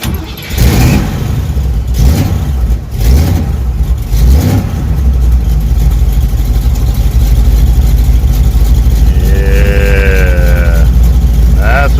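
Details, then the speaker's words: Chevy Nova with 350 small-block V8 after a new starter install: a couple of pedal pumps with no choke, brief cranking bursts, then it fires promptly and settles into a steady, deep idle, the way it should start. "yeah that's the way it should be starting all right let's get to the shocks now"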